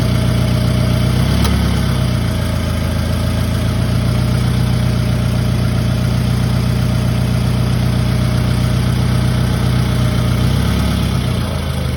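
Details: Toyota Camry petrol engine idling steadily with a faint, uneven ticking that comes and goes over the low hum; cause unknown to the owner.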